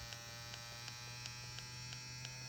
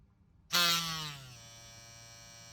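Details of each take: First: Ambition Ninja Pro tattoo pen, twice defective, working with a cartridge fitted: a thin, steady electric whir with light, even ticking about three times a second; it runs smoothly and sounds healthy. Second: Ambition Ninja Pro tattoo machine starting up. The jump start snaps on with a loud, shrill surge that sags over most of a second before settling to a quiet buzz; the jump start is set too high and lasts too long.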